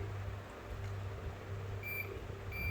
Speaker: ये देखिए ये कॉइल फिर ठीक है। ये देखो बीप की आवाज आ रही है आप? यह देखिए। यानी यह कॉइल एकदम ओके है।